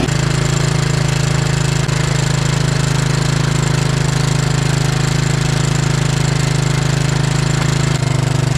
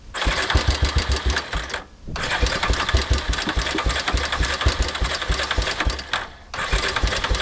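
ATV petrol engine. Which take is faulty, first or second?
second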